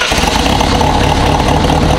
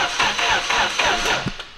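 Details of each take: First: Project car's first start after an over-enriched engine cleared; steady, even idle with deep consistent exhaust pulse, no misses or knocks despite many exhaust leaks; smooth, healthy idle. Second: Newly finished RB-engined project car: starter turns the engine in slow, laboured pulses about four a second without catching; slow cranking, owner suspects poor grounds and may add another or check the rear grounds.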